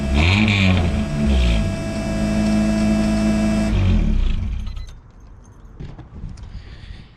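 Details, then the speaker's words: Car after swapping to another exhaust system: engine revs and holds with a coarse, raspy edge over a deeper drone; deeper from the shifter forward, rasp in the rear. "still raspy but i do notice that it's a little deeper um from the shifter forward and the raspiness is in the back"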